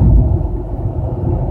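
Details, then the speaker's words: 2003 Mercedes E320, fine in fifth gear around 2500 rpm: a deep growl and vibration that worsens on downshift, acceleration and above a certain rpm. It was first thought to be the transmission; worn engine mounts. "and it's like I can feel it it's vibrating it's got like a growling noise especially on um acceleration it does it too when it goes above a certain RPM it's it's making that noise"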